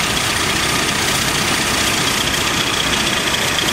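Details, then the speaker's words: AMC Eagle engine with a newly fitted carburetor, idling. A loud, constant, airy hiss sits over a rough idle and doesn't change; the owner suspects a vacuum leak at the carburetor seal, unconfirmed. "sounds like a vacuum leak i couldn't really hear it before if the engine was always whatever don't so i got a vacuum leak somewhere"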